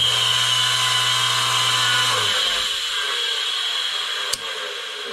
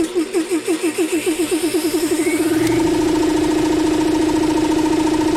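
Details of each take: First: About 20-year-old 2.5 hp air compressor started in extreme cold: loud, steady piercing squeal traced, with the belt removed, to the electric motor rather than the compressor pump. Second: Roughly 20-year-old 2 1/2 hp air compressor motor after replacing both bearings, run cold: chuffs up to speed, then a steady even hum with no bearing squeal before shutting off.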